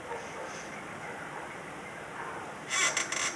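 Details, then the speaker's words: 2009 Scion tC clutch pedal being pressed before lubrication; quick run of sharp, high chirping squeaks, the dry clutch release arm pivot point needing lubricant. "more importantly when you're pressing the clutch if you got the lubricant where it needs to be it won't make noise so right now just like earlier in the video we're going to demonstrate what it sounds like before we put lubricant on"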